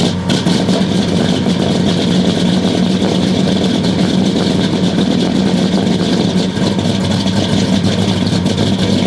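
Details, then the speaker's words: 1969 Buick Special Deluxe, 430 big-block with big cam, first start after sitting since fall 2021: loud, lumpy, stumbling idle with no smooth rhythm, running super rich because the choke had been mechanically closed all the way. "well it started sounds kind of rough it's running super rich maybe I don't know have to check that out for sure well I think I figured out the issue I took the air filter off and uh I forgot that I mechanically closed the choke all the way so that was running full choke"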